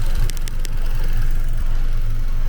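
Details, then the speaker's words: 2015 Vauxhall Astra J 1.4 turbo, 86,000 miles, after repairing snapped cam chain guide, warm at 82° after about 20 minutes idling: smooth, even ticking-over with steady low hum, no knocks or misses; healthy warm idle. "you can hear it now that is sounding like a little Singer sewing machine cooling's perfect uh temperature rising as you can see we got 82° um engine speed ticking over"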